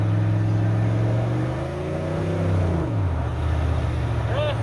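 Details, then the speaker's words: 1988 OBS truck, warmed up, on a road drive, previously with an intermittent misfire: even engine drone, pitch drops at shifts then climbs smoothly, no missing or popping; transmission holds first long, slight slip into third; running clean. "Overall running way better than it was last night. No missing, no skipping, popping, anything like that."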